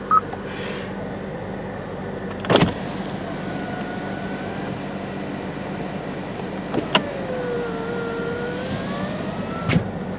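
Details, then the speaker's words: 2014 Hyundai Elantra GT at 35,000 miles, stereo off: a smooth whirring power window motor with slight load rising as the glass climbs, ending in firm stops. Normal power window operation. "You can sense a little bit of motor load on the way up"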